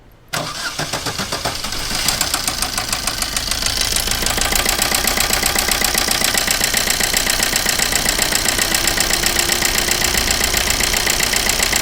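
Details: Maruti Suzuki Ritz with an engine noise problem. Engine catches and settles into a fast idle with a loud, steady ticking knock, roughly four beats a second; internal engine knock, cause unclear.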